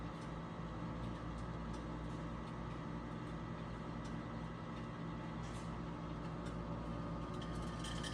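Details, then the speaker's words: Harman P61C pellet stove, owned three years, used as sole home heat; steady, even low hum with soft fan whir, no knocks or rattles. Normal running noise. "All right, number three, the noise factor. I'm going to stop talking for a minute and let you hear what this thing sounds"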